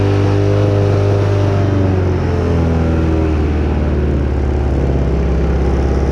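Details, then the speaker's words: Kids' 125cc Chinese ATV after carb cleaning and a new spark plug, idle being adjusted down, air filter still off: strong, steady running with revs easing toward idle, smoother and with more RPM than before; normal running. "idle just the idle down a little bit here that's running a lot better than it was before a lot smoother getting way more RPM out of it"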